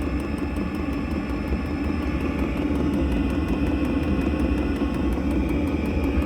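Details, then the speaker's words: 3 kW Chinese diesel air heater in a 23-foot caravan, recorded from underneath, running and pumping out heat; steady low roar with quiet fast ticking or knocking about three times a second, which owner plans to deaden with filling; normal operation. "knocking's really quiet. I'm just underneath it there, and I'm going to fill that with some filling as well, which will take away that noise."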